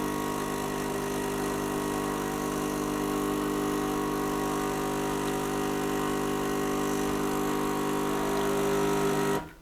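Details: Gaggia Cubika espresso machine after full disassembly and cleaning, no new parts (had been heating and pumping but delivering no water or steam): even, steady pump hum for about nine seconds with no surging, then a clean stop; pump running properly.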